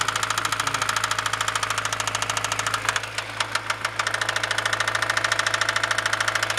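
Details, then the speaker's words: Honda B16A engine knock at idle, persisting after clutch released and shifted to neutral: steady, even knock roughly 160 a minute above the engine hum; source undetermined. "Опускаю нейтральную передачу. Стук продолжается."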